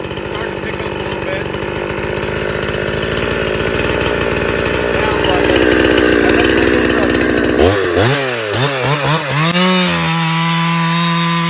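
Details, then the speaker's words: Farmertec Husqvarna 372XP clone two-stroke chainsaw cutting up firewood (possibly ash) under load: screams steadily through the cut holding revs, then clears cleanly to a high free rev; strong, healthy saw. "we do not have another saw and my dad and I's Arsenal this thing is just phenomenal"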